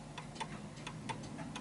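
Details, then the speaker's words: Vintage Bentima/Perivale Art Deco 8-day Westminster mantel clock with its pendulum swinging more to the right. Uneven ticks, a short gap then a long one, because it is out of level; it is out of beat and will stop. "so as you can hear it's gliding to the right hand side more and eventually it will misc calibrate and it ticks more than it talks so as you can hear so it's ticking more than it's talking and the reason why it's doing that is because it's uneven"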